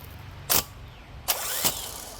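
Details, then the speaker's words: Spare starter from another truck bench-tested by jumping the trigger wire, for flooded Rocky Ridge Ram 2500 whose own starter failed: sharp clicks then clean even spin-up whine, no grinding; working normally, confirming original starter, not engine, was dead. "There we go. This is how it's supposed to work."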